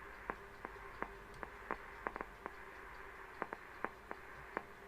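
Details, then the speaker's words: Intermittent sharp pops over a faint hum from an SSTRANS SMT3000 low-power AM broadcast transmitter kit during final alignment; a substitute component is fitted, and the pops are suspected to come from its being very touchy to RF, unconfirmed. "so nick says they're just very touchy rf which i can i can believe that but um let's see if i can just set it i'm just have to put up with that i think that's the only one i've got we can hear it popping"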